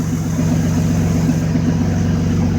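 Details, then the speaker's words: 2004 Dodge Ram 1500 V6 after replacing both driveshaft U-joints (Master Pro at rear, other brand at front): steady even drone with smooth low rumble, no clunks or rhythmic thumping; driveshaft turning smoothly. "This spot is nowhere near as bad as it was before. There's the back where the Master Pro is. Going pretty well."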